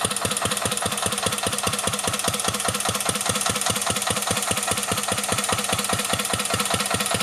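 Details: 1949 Petter A1 air-cooled single-cylinder stationary engine driving a homemade "Bitsa" generator: slow, very regular thump of roughly 98 beats a minute while pulling the load; even, healthy running with no knock, normal under load.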